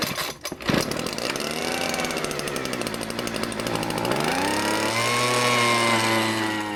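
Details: Homelite Mighty Lite HBL26YBN blower, stored for years, after carburetor replacement and priming: pull-start rattle, then the two-stroke fires, idles steadily and revs up cleanly with no stumbling; runs healthy after repair.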